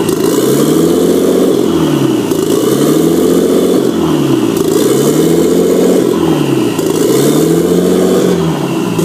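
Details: Nissan RB25 engine swap: idle speed surges up and falls back in slow, even waves about every two seconds, never settling; a hunting, unstable idle.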